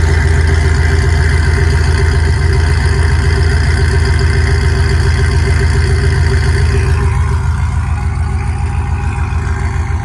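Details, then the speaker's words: Cammed 6.0 V8 swapped into a Chevy Silverado, with newly installed Speed Engineering longtube headers, warming up; loud, deep idle with a steady, even, lopey chop. Normal cammed idle. "Warm up and get to operating temp, see if the idle drops lower and starts chopping. And that sounds good."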